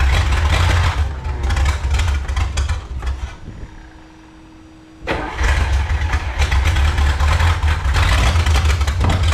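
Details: 1954 Chrysler 331 Hemi, sat in a salvage yard 50+ years, hot-wired in a New Yorker: catches and runs rough, dies for a second or two, fires again, won't settle into idle; owner suspects too much fuel pressure.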